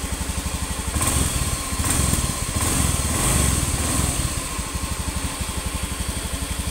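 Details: Honda Beat FI (Beat ESP New) scooter idling after piston replacement; before, it lost oil and the oil and second compression rings caused harsh noise at the front of the head at 4000–5000 rpm. Now steady even low putter, regular firing, no knock or rattle, healthy.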